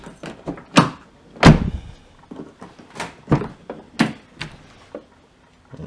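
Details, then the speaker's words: Infiniti M45/M35 front passenger door with check link disconnected swings loosely with irregular hollow thunks and knocks, no detent stops; faulty door check link, same as driver's door, so door will not hold open. "Just like the other door, just like the door on the driver's side, this door here does not hold itself."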